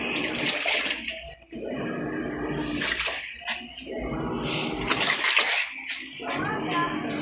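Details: Panasonic top-load automatic washer during the wash cycle after the worn suspension was replaced. Water sloshes in bursts with no scraping underneath. The sagging tub had let the motor scrape the bottom loudly; now it runs smoothly.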